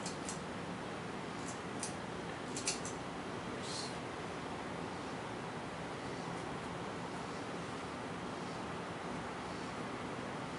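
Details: 1990 FASCO Charleston 5-blade ceiling fan (thrift-store find, some rust spots) started on low speed: soft steady even whoosh, no knocking, wobble or rattle; normal smooth low-speed running.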